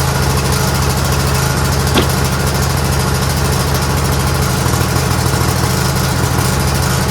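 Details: Craftsman GT6000 garden/snow plow tractor at 26°F: steady low, slightly uneven idle holding only on choke; runs well only at full to 3/4 choke, stalls past half, because gas sat in the carburetor all year without a fuel shutoff, gumming it.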